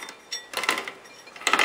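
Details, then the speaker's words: Bicycle build: two short bursts of sharp metallic popping and clinking as the cranks turn; chain cannot be lined up, riding off misaligned sprockets. "Right now I'm having a problem with getting this chain lined up. You hear the noise when I do"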